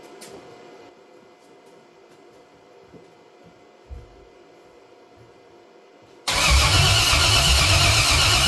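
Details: 1968 Cadillac hearse with LS-swapped 6.0 engine, no oil pressure, coils and plug wires just replaced: quiet then loud steady cranking churn with rhythmic pulse, never fires; crank no start.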